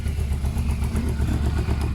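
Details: Yamaha Thundercat 600 on its old, quiet exhaust: a deep, even burbling thump with steady pulses and no knocks or rattles. Normal running, smooth and healthy.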